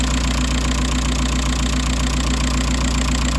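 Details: Audi A4 B6 TDI 130 hp diesel after replacing the accessory belt tensioner pulley, whose bearing was suspected: even idle with the usual light clatter, no squeal, chirp or rattle from the belt; the belt drive sounds normal.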